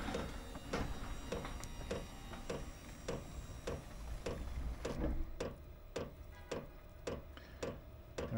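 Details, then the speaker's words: Chinese diesel heater with error codes E08 and E10 (fuel related) after fuel line changes; sharp regular fuel pump ticks about twice a second at startup as glow plugs heat and exhaust smokes, running rich. "can probably hear it fuel pump's running we're getting some smoke"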